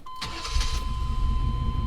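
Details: Two-door Chevrolet Tahoe with prior hard-starting issues, after tune-up (new air and fuel filters, distributor cap, rotor, plug wires, spark plugs): brief crank, catches at once and settles into a steady low idle rumble; healthy quick start.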